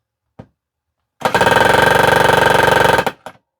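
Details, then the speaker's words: Small magnetic mini-jackhammer style nailer with light, on a heavy galvanized nail into painted pine: fast even hammering about four blows a second, loud and sharp, but nail not driven in. "it's pretty much just a noise producer. That doesn't appear to be going anywhere, but you can hear that it is very much like a jackhammer."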